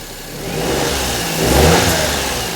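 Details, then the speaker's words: Perodua Kenari with alternator belt squeal in the wet, revved after the power steering pump belt is refitted: engine blips up and settles smoothly with no squeal or chirp; belt drive sounds healthy. "All right, let's go again. Power steering belt. Now on. That sounds all right down there, doesn't it?"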